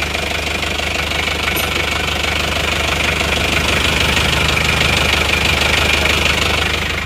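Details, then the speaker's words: Isuzu Panther 2.3 diesel after repair of heavy blow-by and oil use, warm with thermostat fitted: steady, even clatter at idle, no misses or hunting; exhaust clean, no smoke, normal diesel idle. "keluar Sudah aman Alhamdulillah asap kenapot juga sangat bersih ya teman-teman ya lihat di pada saat stasioner ini knaponnya tidak mengarkan asap jos"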